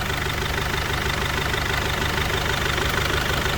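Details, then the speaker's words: 2006 Mercedes Sprinter 413 van, 2.2 diesel 95 kW, 4,600 kg gross, just started: steady, even diesel idle with usual soft clatter, no misses or knocks, no smoke or oil; runs clean and soft. "двигун працює чисто м'яко як подобає"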